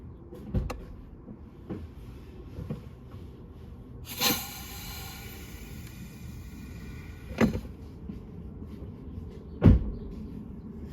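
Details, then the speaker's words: Audi Q5 with ABS and parking brake lights, hard pedal and pressure sensor code, cowl removed: a few dull clunks, then a three-second hiss as the brake pedal is pressed; suspected vacuum leak in the brake booster. "I don't know if you guys heard that, but I don't know if the sound's coming from the inside of the vehicle or the outside, but I believe that there is a leak somewhere here."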